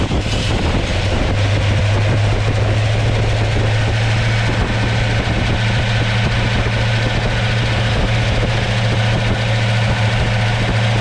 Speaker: I'll demonstrate real quick how this works. Um, I see the car is idling about 800.